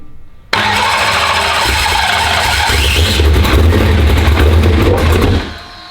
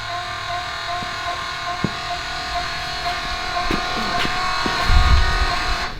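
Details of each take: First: Turbocharged race car fires and runs rough about five seconds, then falls off and dies; fuel pressure only reaches about 60 psi and drops right off, starving the engine and stalling it. It needs some throttle; set screw mentioned. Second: Turbo race car started after a build, cranked first to build oil pressure: it catches and settles into a steady, strong idle with a clean, even beat and no knocks or rattles; normal running after the rebuild.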